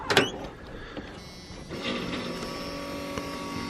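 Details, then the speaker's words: Steady electric whir after a brief click, slightly slow, no grinding: newly replaced driver's rear door window motor on a 1986 Chevrolet C30 dually, truck off and running on battery alone, reaching full travel; normal operation. "right now the truck's not running it's just off the battery here so it's a little slow it does go full travel yeah when it starts running it goes a little faster"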